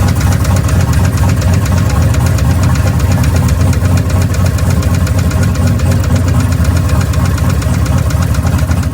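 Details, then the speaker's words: V8 hot rod with boost, on Hot Rod Power Tour near St. Louis: on the next hard pull after one that bogged slightly then melted the tires, the engine let go under throttle; loud, fast steady knock on every turn, a rod knock, motor popped. "all of a sudden we were causing a scene and i popped the motor"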